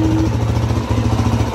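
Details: Suzuki DRZ400S single-cylinder with the carburetor just reinstalled, running while the idle speed is adjusted. Quick, even thumping at a steady low idle with no misses or knocks; idles normally.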